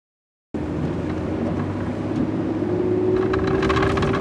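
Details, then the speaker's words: Ford F-150 rear differential: steady whirring over road noise, climbing with speed, under acceleration and deceleration; worn pinion bearing whine, fixed by replacing pinion and carrier bearings. "what we have is a whirling sound in the rear end under acceleration and deceleration"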